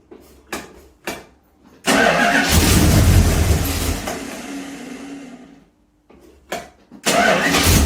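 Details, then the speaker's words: 1969 Plymouth Fury III V8, first start in about a year with new exhaust headers, not yet carb-tuned, leaking from the front. A few short cranks, then it catches with a deep burble, dies, and quickly refires strongly; normal start. "all right we got some success and that sounds amazing"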